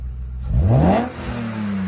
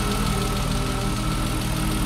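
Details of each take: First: BMW E36 M3 S52 engine, first start and rev after project work: quick clean rev climbing smoothly toward redline and dropping back without misfire, knock or rattle; earlier lifter tick gone, healthy free revving. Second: BMW E36 M3 S52 six-cylinder, high-mileage engine, first start, idle: light fast ticking over the engine hum; owner first wonders about injectors, then says it's lifter tick.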